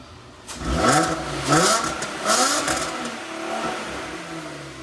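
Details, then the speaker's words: First start of a Mk4 Golf V6 4Motion after its new exhaust was fully welded. Three quick revs rise and fall cleanly with no rattle or blowing; the exhaust sounds sound, a big improvement. "That's better, isn't it? I was surprised that makes that much difference. Wow, that's made a massive difference. I love that."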